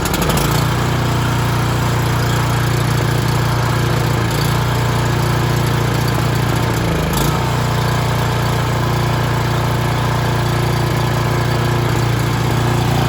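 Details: Echo Bearcat chipper model 70180, bought with a rotted, leaking fuel line, test-started: small engine fires, catches and settles into a steady, even low drone with no misses or knocks; running normally.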